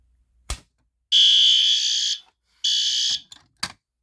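Two loud, high-pitched alarm blasts, about one second then half a second, after some clicks; the alarm sounds as it should.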